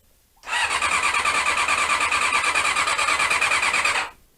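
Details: Honda CB-1 (NC27) sat unused a couple of months, fed from a remote fuel tank: the starter spins steadily at about three turns a second with a whirring whine and never fires. Cranks but won't start; owner suspects the carbs need cleaning.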